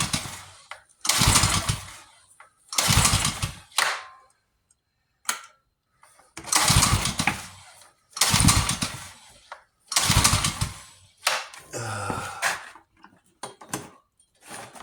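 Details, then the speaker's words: Yard-sale pressure washer with a freshly rebuilt carburetor, choked: repeated pull-cord bursts, each dying away, and the engine never fires. The owner suspects flooding, smells no gas and plans to prime it. Cranking, no start. "We might be flooded it, we might not. I don't smell any gas, so let's get that."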